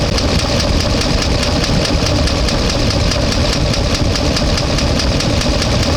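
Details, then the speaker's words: 1-ton truck with an LS engine, warmed to about 200–205°F, no oil pressure (oil filter pressure relief valve suspected stuck open): loud uneven idle with fast tapping about five a second and a bad miss. A collapsed lifter is suspected. "still making noise sounds like a collapse um or something like that uh it's bad Miss um nothing leaking out of the bottom"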